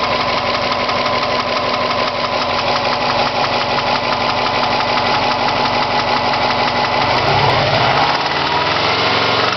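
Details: Engine knocking at idle: steady idle with a sharp rhythmic tapping on every few firing pulses, about three per second; knock inside the engine.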